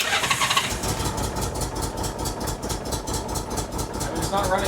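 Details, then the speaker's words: Honda Goldwing started cold after sitting overnight, headlight plugged in during start to test a suspected headlight-related hard-start issue; fires and idles unevenly with a stumbling beat of a couple pulses a second; it did start, cause unconfirmed. "This thing's definitely cold now. So, it's kind of starting."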